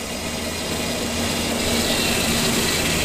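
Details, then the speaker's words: 2002 Ford Explorer, first start after timing chain job, idle: faint high thin whine over engine hum; owner suspects the pump, also wondered about rack or idler pulley, unconfirmed. "well I just picked the camera good I'm getting a little noise here"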